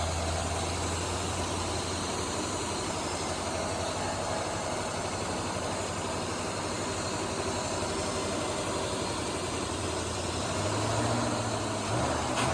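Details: 1977 Holden HX Statesman Deville, 308 V8 with Turbo 400, first run after sitting about 20 years: settles into a steady, even idle with a smooth low rumble and no knocks or misses; runs healthy.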